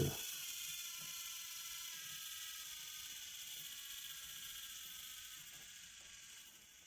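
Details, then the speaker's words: Braun hand blender's small brushed motor, previously overloaded (worn commutator, overheated winding, melted rotor insulation), bench-tested on a supply: light even high whir, faint ticking, easing slightly; spins with low current draw, hard to stall, not heating, likely no short. "ბრუნავს ძრავი და მოხმარებაც საკმაოდ დაბალია. ძალას ვატანთ, გაჩერება ძნელია."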